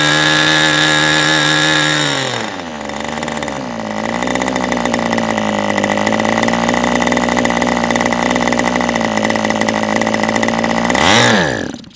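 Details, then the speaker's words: New OS 40 SF ring glow engine, first break-in run, APC 10x6 prop, OS 8 plug, Cool Power 10% fuel, low-speed needle unset: screams high, sags to rough low drone, brief surge then quits; dies on transition. "Obviously the low speed hasn't been set at all, and I think I'm just gonna fire it up one last time here and let it try and run most of this tank out."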